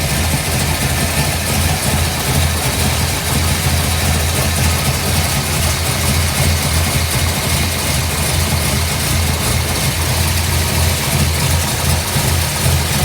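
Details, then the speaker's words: 1955 Chevrolet Bel Air with a 572 big-block V8 (860 hp, hydraulic roller cam) at idle: deep, even, lumpy rumble with no knock; the computer is still learning, and a slight tap at first start may mean the rocker arms need readjusting. "Well, as you can see, sounds great. It's going to run great."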